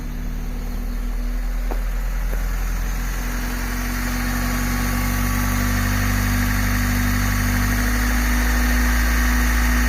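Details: 1997 Honda Civic hatchback D16Y7 SOHC non-VTEC, just after rod bearing replacement following low-oil rod knock: smooth, even idle with steady low hum and no knocking; knock later returned after a week.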